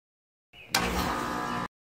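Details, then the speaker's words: Home central A/C outdoor unit with a 220 V supply, starting up after a 5-2-1 hard start capacitor was installed on a working compressor: sharp kick as the compressor catches, then a steady even hum and fan rush. No difference noticed from before; normal start. "so i don't think i notice the difference between the start uh of the capacitor after adding the new hard start capacitor in there"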